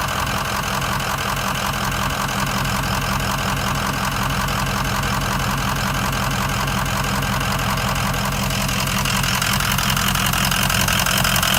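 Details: 2004 Ford Excursion 6.0 Powerstroke diesel V8 (head studs, EGR delete, blue spring) with a loping, rough idle of about three lumps a second after hard driving the night before; the #7 injector had failed, and replacing it fixed it.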